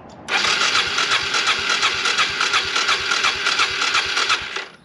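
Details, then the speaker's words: Suzuki DR350SE abandoned dirt bike being revived, new battery fitted: some fuel poured in, full choke, the starter spins the engine evenly for about four seconds but it never catches. Cranks, no start. "fish threw some gas in here absolutely nothing full choke"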